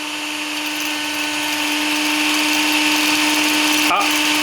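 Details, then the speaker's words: Parkside LIDL drill bit sharpener: steady motor hum with a faint scraping hiss building as the grinding wheel just starts touching the clamped drill bit, indicating correct contact setting. "là, ça commence à frotter. Voilà."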